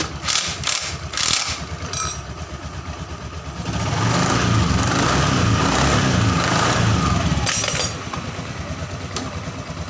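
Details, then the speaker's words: Honda Scoopy FI scooter, CVT test after fitting a replacement drive belt of the wrong size: faint gritty rattle that grows as revs rise and eases as they drop; rough noise reduced but some remains, clutch next to be checked. "Nah, untuk suara geredek kasarnya atau suara kasarnya itu sudah berkurang ya teman-teman. Tapi masih ada sedikit."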